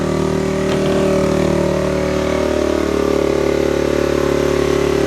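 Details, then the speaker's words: Pulse Adrenaline 125 motorcycle, unused four years, after carb rebuild, new fuel tap, ignition rebuild and fresh fuel: the small single catches and holds a fast, steady buzzing idle on choke, even and uninterrupted. Normal first start, warming up. "It's alive! Just let it warm up a little bit, then we can take it off the choke."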